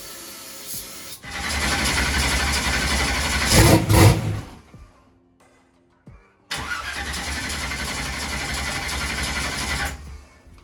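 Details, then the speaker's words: Holley EFI drag race car: two long bursts of steady starter cranking with no catch. Little fuel pressure while cranking despite power at coils and injectors; laptop showed the TPS needing calibration. Crank, no start. "so next thing it wasn't building much fuel pressure when we were trying to crank"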